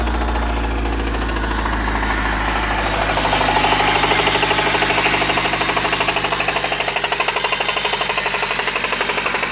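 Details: 1993 Honda Civic EG8 with D16Y1 VTEC swap, oil pressure light on: hard heavy knocking about three per second at idle, evolved from ticking after 5W30 oil change, with stalling; bottom-end rod knock suspected, not confirmed.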